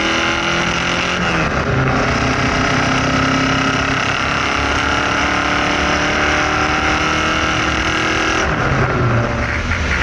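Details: Ferrari 308 V8 on the road with a newly built loud exhaust: a loud rasp rising in pitch as it pulls, with a lumpy, uneven beat. It is not firing on all eight cylinders, an engine misfire.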